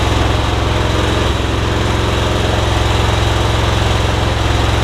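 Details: MTD Yard Machines riding mower after bent blade lever repaired so safety switch closes; idles with even steady thump about three beats a second, deep exhaust note, no misses or knocks, battery charging; normal idle.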